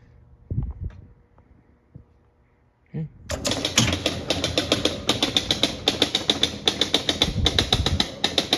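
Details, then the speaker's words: 1976 Gottlieb Surfer pinball (barn find) under mechanical repair, playfield down, ball dropped in the hole and new game started with the switch: brief clicks then rapid even relay and stepping-unit chatter for several seconds; normal game reset and ball release. "All right, it is in the hole. And we can start a new game by hitting the switch here."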